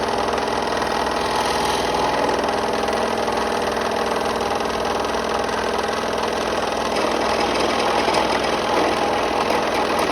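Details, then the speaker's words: Restored 30-year-old Delta P-20 scroll saw, making a sharp turn in wood: steady, even blade buzzing chatter with no knocks or rattles; cuts smoothly, doesn't snap back but pushes an awful lot. "nice there doesn't snap back it does push an awful lot"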